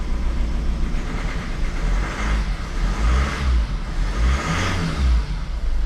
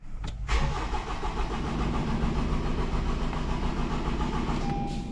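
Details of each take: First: Honda CR-V diesel after repairing a number 3 injector fault (P0203) that caused crank no-start, codes cleared: after a brief rev it settles to a steady, even idle with no misfire; running normally on all four cylinders. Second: Honda CR-V with fault codes P0203 and P1043 for the number 3 injector: the starter churns steadily at about three and a half turns a second but the engine never fires, a crank no-start caused by a shorted injector.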